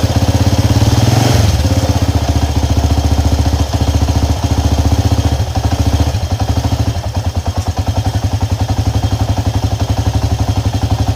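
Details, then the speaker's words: Honda EX5 Dream engine idling loud and rough with a steady hard knock about two per second; the cause is a loose clutch-side nut/screw. "bunyi engine ini memang cukup keras dan bunyi hentakan Lah bunyi hentakanlah bunyi dia itu"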